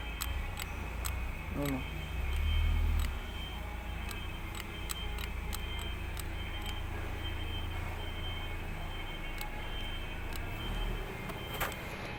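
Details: Isuzu 4HL1 diesel: light clock-like ticking from the front of the engine, appearing as revs rise around 2500 rpm and absent at lower speed; cause unclear.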